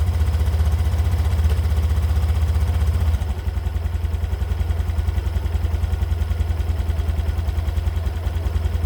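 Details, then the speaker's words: 2022 Honda Beat Deluxe scooter after first CVT service, new roller housing, rollers, slider pieces and V-belt, regreased: even low putter with no clatter; earlier clacking was from broken slider pieces, now smoother. "nah begitu kira-kira kondisi dari suara motor gua setelah bagian civitnya udah kita ganti beberapa part di dalamnya dan alhamdulillah menurut gua suaranya jadi lebih halus ya"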